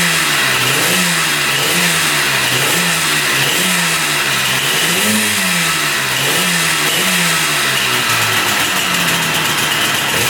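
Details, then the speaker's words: 1974 Yamaha RD200 two-stroke, bought as a non-runner, after battery and wiring work: crisp buzz with clean blips, revs rising and falling smoothly without stumbling; running healthy, oil pumped to both cylinders. "Heat. Heat. That sounds pretty darn good."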